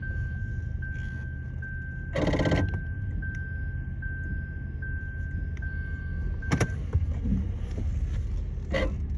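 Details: Lexus RX450H, noise when braking with the car on or off, earlier intermittent squeal, no dash light: short buzzing bursts, sharp clicks, low hum and faint whine; faulty ABS pump/actuator, fixed by replacing both.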